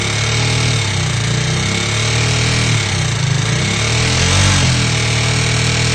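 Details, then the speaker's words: KTM Duke 390 V2 single after repair: intake and exhaust camshafts and two rocker arms replaced, valve clearances in spec, earlier loud metallic clicking from oil passage to head blocked by gasket maker; steady idle with only faint light tick, normal. "So yun na nga po bale Yan na yung andar ng motor na natapos natin palitan ng cam shop yyung intake and exhaust pati dalawang rocker Arms so normal na normal sa ktm na meron siyang konting lagitik"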